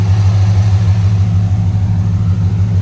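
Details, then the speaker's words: Ram Daytona after replacing noisy pulleys and fan clutch (airplane-like noise before): steady even idle hum with no squeal, chirp or rattle; noise gone. "and this is how it sounds after the the pulley and the clutch no more noise"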